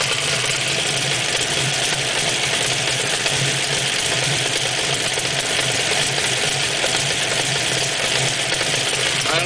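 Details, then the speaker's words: 1969 Camaro with a 700hp engine and racing clutch, after its first ride, idles loose and rattly with a harsh hiss. It quiets when the clutch is slightly engaged; they suspect it needs more clutch. The cause is not confirmed. "don't know if a racing clutch is supposed to sound like that or not, but that don't sound too great to me. No. See, it's fine when I engage it a little bit."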